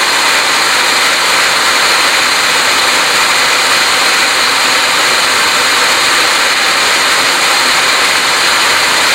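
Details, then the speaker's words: Emerson Fisher flow-lab control valve demo: loud steady gravelly hiss of water cavitating through the valve, no clear drop in level yet, before back pressure is applied by closing the rear valve; valve cavitation. "We'll show you some cavitation happening and then I'm going to close off this rear valve a little bit and you'll be able to see the cavitation lessening and it might even go away we'll see."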